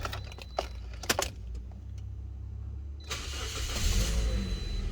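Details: 2012 Toyota Corolla LE started right after new spark plugs were fitted. Quick crank catches cleanly and settles into a smooth, steady low idle with no misfire or stumble. Healthy start.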